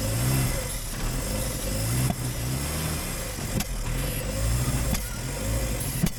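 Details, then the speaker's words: Suzuki Samurai abandoned 20 years, cranked with clutch in and gas pumped: engine sputters, catching in uneven bursts with revs rising and sagging as fuel finally arrives, runs briefly on its own then dies; fuel starvation. "it's alive funny I think we got fuel into it I think we actually got fuel into the thing now gas now it's running on its own oh darn it I was all excited"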